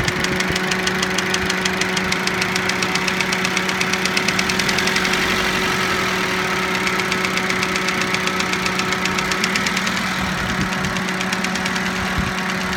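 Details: Toyota Avensis idling after cylinder resleeving, piston ring replacement and timing belt job: quick, evenly spaced metallic tapping keeps time with the engine. Knock after the rebuild, cause not pinned down.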